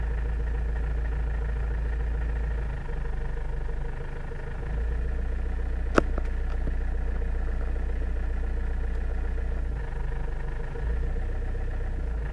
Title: Avensis I strange engine noise at low rpm